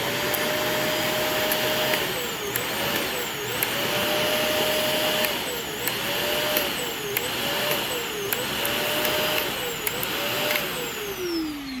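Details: Shark NV355 vacuum after motor main pod replacement, head pushed and pulled: steady high motor whine dips briefly, then recovers cleanly. No crackle or stutter, no switch arcing seen; motor healthy.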